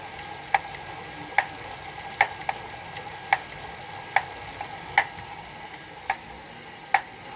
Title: Elite Suito knocking sound